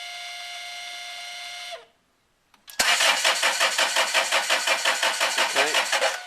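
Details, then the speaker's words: Land Rover 2.2 diesel (Freelander 2 / Range Rover Evoque) with air in the fuel system: even cranking pulses around three per second with no firing. It cranks but won't start. "ay so you're probably better off not trying to start it like we did until you've bled it"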